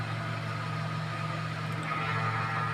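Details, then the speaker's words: Voltas 1.5-ton split AC running with a very loud steady low hum and thin whistle above it, droning without change; source not identified. "आप यह आवाज सुन रहे हैं बहुत तेजी से आवाज ए रही है"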